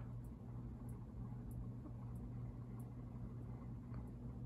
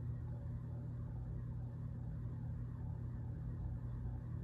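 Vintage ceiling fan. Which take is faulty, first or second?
second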